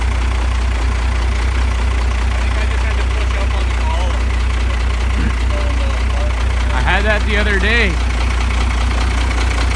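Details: First-generation Dodge after a full rewiring, with clicking reported near the solenoid/relay: low, even idle rumble holds steady with no misses, knocks or stumbles; normal idle.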